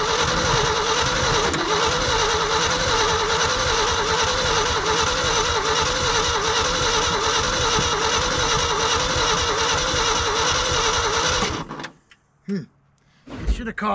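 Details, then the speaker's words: Old Ford dump truck, sitting 20+ years, cranked in the cold: steady, even cranking for about eleven seconds with no firing; spark and fuel present, owner suspects spark isn't reaching the plugs or the cold. "coughed by now got Spark It's got fuel I wonder if maybe it's not getting sparked out to here gotta check them all spark and fuel means you should run"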